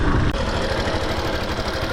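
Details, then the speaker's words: 2022 Yamaha Factor motorcycle at 55,000 km, valves never adjusted: small single idling with a light quick tick, worse when revved, plus a rattle suspected from the cam chain; loose valve clearance, valve adjustment planned. "aí dá pr ouvir B barulho tem um tiquezinho quando acelera fica bem ruim e tem um Chacal desse lado aqui"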